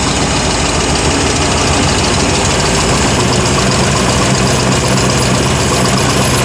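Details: 1955 Ford Mainline ute custom, 302 Windsor V8 with C6 automatic, first start in a while on a jump starter: loud, steady idle with an even low rumble, no knocks or misses; runs smoothly.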